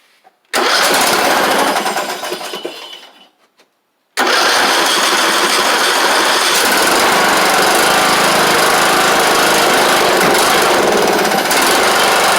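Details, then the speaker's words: John Deere LA100 riding mower, long-sat, testing whether it runs off choke: after a cough and a short stall it restarts and settles into a steady, fairly even buzz. Owner suspects the spark plug has failed and that more run time will help. "But I really do just want to see if this thing will run on its own off of choke with this card."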